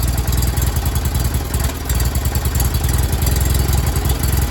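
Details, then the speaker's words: Miller Bobcat 225G welder/generator, previously dead for years, after new starter solenoid and fuel pump: choke partly pulled, cranks and starts, steady even low drone at idle with no knocks or hunting; normal running. "And then we're just going to crank it over and and start it up. There it is. It's at idle."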